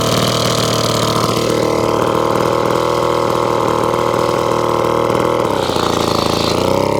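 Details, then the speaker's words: 1954 Atco Midget lawnmower, Villiers two-stroke, unstarted over 10 years, kick started, on half choke warming up; smooth regular running with brief pitch change midway, no knocks or misfires; normal two-stroke idle. "i'm going to take off a choke i've got about half choke i got let it warm up it's a two-stroker"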